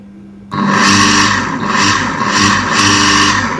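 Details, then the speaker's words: Havells 0.5 HP Tullu water pump motor that hummed loudly, drew heavy load and wouldn't run, after replacing internally shorted capacitor: kicks in cleanly and settles into steady, even hum without labouring or buzzing; normal running. "जब मैं इसको लगता हूं की मोटो हमारी perfect चल रही"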